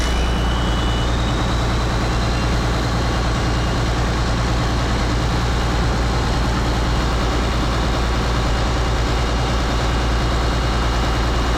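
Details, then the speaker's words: Rebuilt 8.3 Cummins diesel in Case IH 2366 combine, straight pipe exhaust, just restarted: choppy and smoky at first, now deep steady rumble with even beat, no knocks or misses; normal smooth idle. "yeah it sounds good to me like it was it was choppy a bit at first I meant it smooth out and all the smoke is going"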